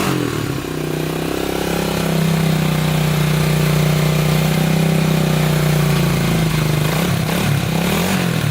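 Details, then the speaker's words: 1987 Honda 250X after new valves, top end and new ignition coil, idle adjusted up, started after many kicks: catches, rises to a steady throbbing run, settles into an even idle; runs normally. "good well it uh it runs oh man that took forever to get i kicked this thing over probably ah probably a thousand times before we got this into run"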